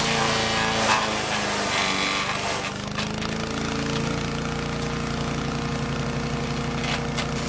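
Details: Troy-Bilt chipper shredder model 24A-414B711, repaired with a new carburetor fuel line fitting and fresh oil, shredding hard dried sumac branches; steady petrol engine note holding speed with a rough chipping crackle. Normal shredding under load.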